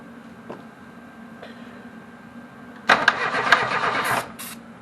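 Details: Reliant Robin being started for the first time: quiet, then about a second of starter churning with no firing or catch; engine turns over but gets no fuel, fuel later poured in; crank no start from fuel starvation.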